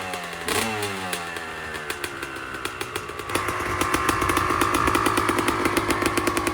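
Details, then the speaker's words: 2001 Honda CR250 two-stroke kicked over after pre-ride maintenance; catches into a crisp, rapid crackle that settles and lifts slightly as it warms, running clean: normal two-stroke running. "So basically, one last thing to do, start it up, make sure it runs."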